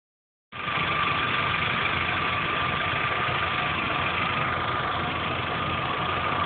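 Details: 2010/2011 Chevrolet Corsa 1.4 Flexpower, 17,000 km, clean oil at correct level, warm (gauge at first mark): steady idle with a light quick ticking, about three or four per second; ticking is loud at the first cold start, then fades. Valve train suspected, not confirmed.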